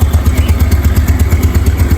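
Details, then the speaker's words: Aging Yamaha Nouvo Sporty automatic scooter, not yet roadworthy, idling after starting: soft, regular low putter with even pulses, no odd noises, clatter or rattle; engine still smooth and healthy. "Pokoknya untuk motor yang sudah cukup berumur, mesinnya masih halus banget loh. Gak ada suara aneh-aneh, gak ada kotak-kotak, gak ada gini juga."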